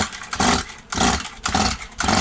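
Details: Stihl 180 two-stroke chainsaw after piston and crankshaft seal replacement, carburetor and tank empty, choke closed: four quick pull-cord strokes about twice a second, no firing; too much oil in cylinder, started once a little petrol was sprayed in.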